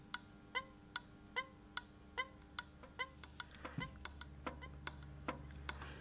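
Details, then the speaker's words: Older-car bimetallic indicator flasher unit: crisp even clicks a little over one per second, each with a faint second tick as the strip lifts off; normal clicking. "It's very bistable, and so as it flies back and makes the contact, you actually hear a click, and you hear a slightly different sound as it lifts off, but the general effect is click, click, click."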